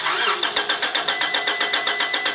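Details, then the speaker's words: 2001 Honda Accord, reported as a no-start, cranked on a NOCO GB70 jump pack. Starter spins the engine at a steady beat of about seven pulses a second but it never catches, though it almost started: crank no-start, cause unconfirmed. "this thing is a no a no start from what we were told so I don't expect it to start but go ahead and crank"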